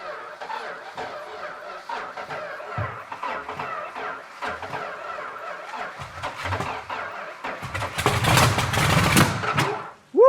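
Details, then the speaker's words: Superbird 440 V8, not run for about 40-50 years: uneven cranking several seconds, then catches and roars about a second and a half before dying, fuel poured in by hand; it runs but catches fire. "nice that is an engine that hasn't ran for 50 years folks okay 40 years it doesn't matter it ran to me the most important thing is is it ran"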